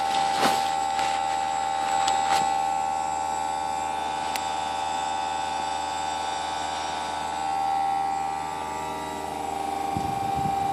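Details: Newly installed Greenspeed heat pump running: constant, piercing mid-pitched whine over a quiet hum, unchanging; abnormally noisy, cause unknown.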